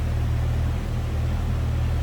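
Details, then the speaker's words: 1997 Jeep Wrangler Sport 4.0-liter six with a newly installed serpentine belt, idling smooth and steady with a low rumble and no ticks, misses or belt squeal; sounds as it should. "Sounds as it should. Exactly what you'd expect out of that 4-liter."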